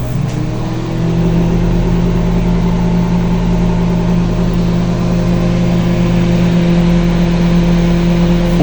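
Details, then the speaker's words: Panasonic microwave running with water after repair of burnt/perforated mica sheet that caused shorting, noise and smoke; steady even hum, no crackling or popping, normal operation. "Não estourou. Tá tudo normal. Funcionou legalzinho, bonitinho, não pipocou, não aconteceu nada."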